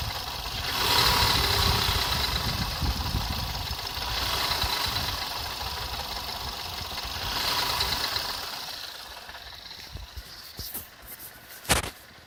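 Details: Skoda Fabia RS: quick, uneven knocking about three per second over the idle, rising and falling with engine speed; internal engine knock, source unknown.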